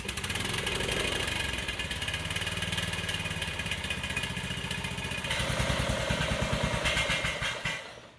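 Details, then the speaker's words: Troy-Bilt riding mower engine, sat since 2014, idling while warming up after the muffler was refitted: even single-cylinder putter about three beats a second, smoothing as it warms, no stutter now; the muffler is needed for its jetting; normal idle. "We got the muffler on it now, so it's quieting down and it runs better. It's not stuttering."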